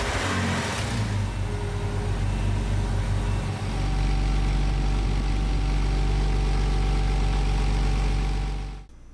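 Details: 1986-labelled Porsche 986 Boxster 2.5L automatic, after replacing broken shift linkage push rod that triggered neutral safety switch no-start: deep, steady low rumble, no knocks or misses; idling smoothly and healthy.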